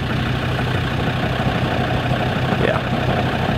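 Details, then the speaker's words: Land Rover Discovery 2 diesel idling in neutral with clutch released: uneven metallic rattle and grinding from the manual gearbox, less violent after fresh gearbox oil; something still loose inside, source unconfirmed. "something's grinding but it been better now that I put new oil in it so it's not as violent guys can hear mle hitting mle but there's still something loose in there"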